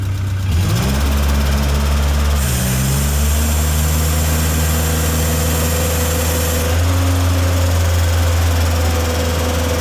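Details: Tennant M20 sweeper with Vortec 1600 engine, first start after a head gasket replacement and timing belt refit: the engine picks up revs quickly, then holds a smooth steady hum with no knocking or stumbling. It runs healthy.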